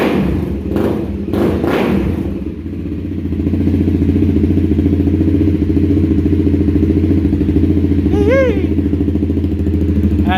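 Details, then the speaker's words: 2016 Honda CBR300R, 3,000 miles, first startup after bogging, stalling and rough-idle repair with good spark confirmed: steady, even idle with regular firing pulses, no misses or hunting; sounds good. "first startup Clinton's new 300r don't mind the stupid skull stickers give it a little oh yeah oh she looks good sounds good"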